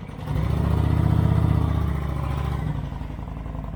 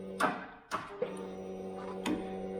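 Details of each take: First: 2008 Kawasaki Vulcan 900 Classic LT, first start in 8 years after refurbishment with fresh fuel and new battery: deep, even rumble at steady idle with no knocks, misses or rattles; runs like a brand-new bike, normal running. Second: 2008 Kawasaki Vulcan 900 Classic LT, first start attempt after 8 years, in neutral, key on, low-oil-pressure light lit; new load-tested battery and clean connections; starter gives a few sharp clicks and a faint hum, engine does not crank.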